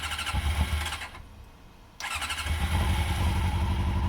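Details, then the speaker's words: Honda CBR motorcycle after repeated start attempts (described as close to running): starter churns in quick even pulses, pauses, churns again with uneven catches; cranking and nearly firing but won't run. "Let's see if the CBR will start. For the millionth time."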